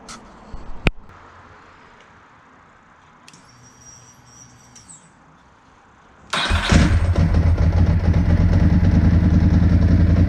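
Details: 2002 Ducati 748 V-twin, crashed and neglected, revived after fuel system repairs: quiet handling noises, then it fires into a strong, lumpy, steady idle with an even beat; sounds healthy.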